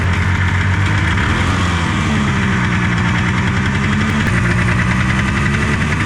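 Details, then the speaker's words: Derelict snowmobile two-stroke fired first pull with just the carb fitted and no fuel lines hooked up: catches and keeps running with a busy, slightly wandering beat as revs hunt. "Are you kidding me? I don't know why it's still running."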